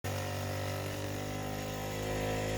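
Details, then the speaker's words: 3D-printed maglev pulse motor with new non-magnetic 304 stainless steel backplate replacing aluminium, running at only 9 volts, untuned, no graphite yet on backplate; steady even hum with clear low tone around 100 Hz, no knocks or rubbing, running smoothly. "got a nice hum now I still haven't put the graphite in I needed to rearrange and this is only at nine volts"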